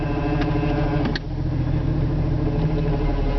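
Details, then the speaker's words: Four-wheel-drive Jeep moving off in gear: a steady low engine drone with a rough churning, grinding-like undertone that is quiet in park. The vehicle later stops moving; the owner suspects the torque converter, unconfirmed. "once you start moving it makes that horrible grinding noise not a grinding noise more of a uh I can't explain it that's why I got my camera it's a noise I've never heard before"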